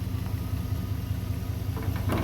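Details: 1991 Chevy Silverado low, even idle with steady beat and no stumble or misfire. Heard while diagnosing with the OBD1 A and B terminals jumped and the MAP sensor ground wire jumpered to ground, which seemed to fix the rough running.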